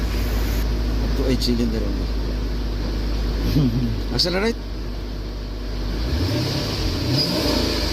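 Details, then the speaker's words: Jeep Grand Cherokee Hemi V8 after replacing defective parts for intermittent misfire: steady even idle and smooth rev, misfire counters all at zero, no misfire. "monitor the parameters data and misfire counter all are in zero value indian misfiring is no longer now and a smooth running engine idle"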